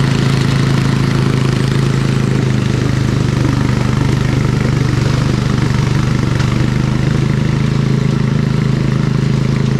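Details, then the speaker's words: Old MTD Snowflite 826 snowblower, 8 hp, 26-inch cut, carb good, choke off, blowing snow: steady, even speed with firm low drone, no misses or knocks; normal running, throws less far than newer ones. "okay she works pretty good the old ones don't throw as far as the new ones it does work pretty good though"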